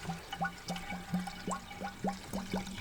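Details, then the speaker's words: 1955 Ford Mainline ute custom with a 302 Windsor V8 and C6 transmission: water glugs and bubbles about three times a second as air escapes while the empty radiator is filled (about 15 litres); normal. "hear it gurgling. Yeah. That's not too bad, only took about 15 litres."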